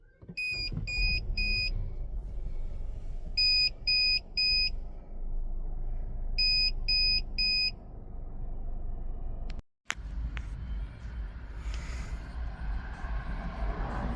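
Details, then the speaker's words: Geely idling just after starting: bursts of three quick high-pitched beeps repeat every few seconds; the beeping is intermittent, continues after cleaning, and its cause is not found. "всё равно пищит зараза и всё Вот иногда не пищит а иногда вот пищит иногда прям мерзко пищит"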